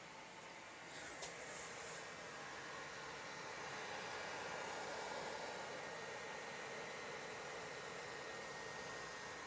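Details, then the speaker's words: PS4 running the Plants vs. Zombies Garden Warfare 2 beta just after launch: steady loud rushing airflow with faint high whine, no rattles or grinding; fan kicking harder than normal under load, owner unsure if normal. "just want to know if my um if my PS4 is sounding right because it's um the fan is kicking harder than normal"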